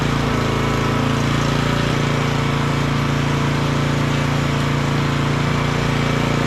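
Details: Auction-bought small generator running after adding fuel: steady, even drone with a smooth regular beat and no misses or surging; slight fuel weep from the fuel bowl; normal running.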